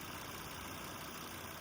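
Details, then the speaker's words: Volvo after a makeshift repair of a diaphragm housing, replacement housing on order: smooth, even idle with steady hum and no ticking, hissing or knocking; the previous noise is gone and the engine sounds healthy. "Okay, back at the house. Everything sounds good. I don't hear anything."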